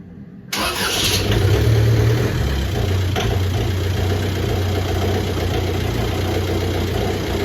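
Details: VW BEW TDI diesel with AW4 automatic, after reinstalling the stock torque converter for a 700 rpm idle tune; cold start in below-freezing weather after glow plugs, and it idles higher when cold: brief crank, catches cleanly, steady even idle; normal.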